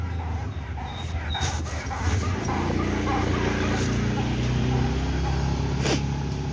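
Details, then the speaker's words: Honda Vario 160 front fork pumped with brake locked: short squeaky chirps several a second with each compression; owner unsure whether normal, cause not found. "Hai for depannya sudah banyak-banyak ngek ngek ngek ngek ngek gitu ya jadi saat tenaga untuk bisa bunyi gitu lho nah"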